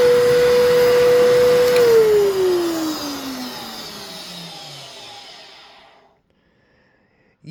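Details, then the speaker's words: Vacuum cleaner with original filter: loud, rough high whine falling in pitch as the motor coasts to a stop; fan probably clogged and bearings dried out. "yeah so definitely needs some work that motor sounds like it is the fan is probably clogged and which not an uncommon problem with these these things are prone to that"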